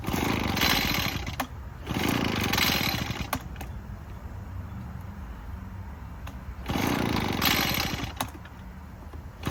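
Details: Echo PB-403T two-stroke backpack leaf blower, sat for years, running on choke: surges in rough bursts and sags, never holds high revs; only runs on half choke, stalls without choke; carburetor cleaning suspected needed.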